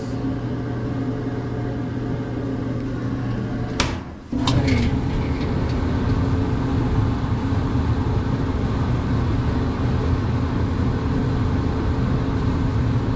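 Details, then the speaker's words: Whirlpool electric dryer repaired for no heat, heating element area torn down and cleaned, after reassembly: steady low drum rumble with an even hum, a brief thump near four seconds, no squeaks or scraping; dryer drum runs normally. "Sounds pretty good. No squeaks."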